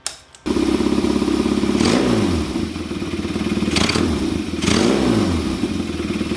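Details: Kawasaki KZ400 with Mikuni VM30 carbs, needle clip in second position from bottom. Idle runs steady, but each quick throttle snap rises, then sags and stumbles before recovering. Hesitation on throttle snap.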